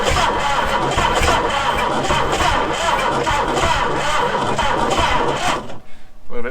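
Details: 1966 Ford Galaxie 390 big-block, first start attempt after sitting 35 years, original coil, new plugs and charged battery, no gearbox: slow labored cranking that stumbles, briefly tries to catch and dies; hard start.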